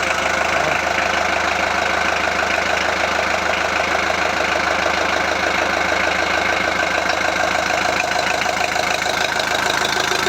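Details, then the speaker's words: VW Transporter T4 1.9 TD after reassembly, first start after glow plugs, air filter off: even diesel idle, steady clatter with no loose rattle or tapping; sounds healthy. "oh right well it sounds good uh I'm gonna put the air beater back on now"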